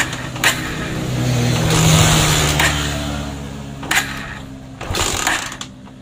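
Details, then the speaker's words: Honda Mega Pro motorcycle, full-wave ignition, low battery voltage, previously rewired: after kicks engine catches with rising hum for a couple of seconds then dies; coil spark very weak, almost invisible, ignition circuit traced. "Nyala sedikit berebut, tapi udah nggak mau nyala lagi."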